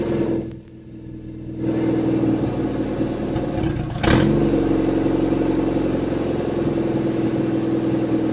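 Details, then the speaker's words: Junkyard-rescued Chevy S10 being revived for an 800-mile drive, injector O-ring possibly leaking: after a quick blip the engine drops to a steady, even idle with no knocks or ticks; normal running. "do we run out of gas now oh engine sounds good runs nice and smooth"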